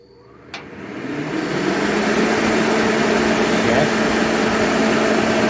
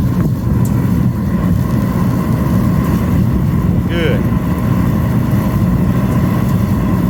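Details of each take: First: Master kerosene torpedo heater with E1 error, test run with igniter, pump and solenoid on; igniter snap, then a roar building over two seconds and holding loud; flame shooting out the end, possibly still warming up, owner unsure. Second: Master kerosene torpedo heater, troubleshot for E1 error shutdowns, after pump pressure was set correctly: pump, igniter and fuel come on and it lights. Loud, steady roar of burner and fan with no sputter, surge or pulsing; it is firing cleanly and running normally.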